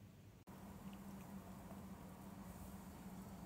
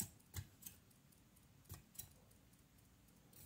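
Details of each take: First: EVGA ATX power supply fan after repair (a molded plastic burr catching the stator had caused clicking): soft, steady low hum spinning evenly, no clicking left; quiet and healthy. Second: EVGA BW 80 Plus Bronze ATX power supply fan spun by hand: faint, irregular light ticks at about three a second as a blade catches on a plastic moulding flash against the stator; a badly injection-moulded part.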